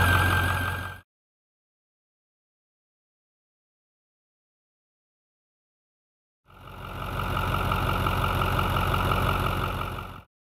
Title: 6.4 Powerstroke squealing/whining noise (air in fuel cooling system)